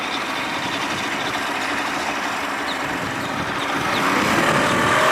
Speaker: Back in business, baby. Woo-hoo-hoo. Back in business. Man, I'm telling you, this little puppy, man, hauls ass.